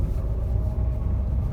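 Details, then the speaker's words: 2012 Renault EDC dual-clutch gearbox at 115,000 km, driving: a low, steady hum and growl under road rumble that rises as speed increases; worn gearbox bearings. "şu an bile çok net geliyor bıtkı hızlandıkça da ses artıyor"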